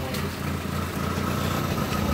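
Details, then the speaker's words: 1988 Plymouth Reliant K 5-speed coupe at idle: steady low idle with raspy puffing hiss; most noise from an emissions tube from the original air cleaner to the catalytic converter; Dodge Omni air cleaner now fitted. "most of the noise you hear is from a weird emissions tube that went into the original air cleaner that goes to the catalytic converter"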